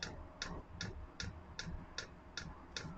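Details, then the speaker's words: Chinese diesel air heater (Webasto-style) during its several-minute startup. Crisp, light ticks about 2.5 per second over a faint hum: the dosing pump feeding the burner normally. A fuel line had earlier been left unconnected. "ah là on entend la pompe normalement la pompe là elle est censée alimenter le corps de chauffe"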